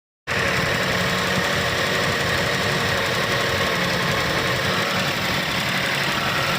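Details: Nissan engine idling with an uneven, stumbling beat and irregular low thumps under a loud hissy background, typical of a misfiring cylinder; cause suspected, not confirmed.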